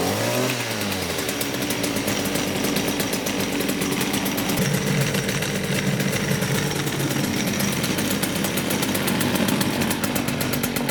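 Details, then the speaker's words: STIHL FS56 trimmer after clutch-related repair that cured a loud squeal: quick rev-up then steady high buzz, no squeal, head not spinning at idle; running normally. "So that did the trick, guys. The reason I was showing the head there in the video when I just started it now is because if you noticed, it was not spinning at all."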